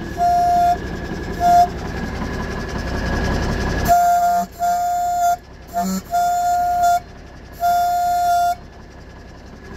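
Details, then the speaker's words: 1985 GMC General truck, air pressure up to about 90–100 psi: short horn blasts thin and reedy with little body; weak air horn, cause unknown. "boy that sounds pitiful doesn't it"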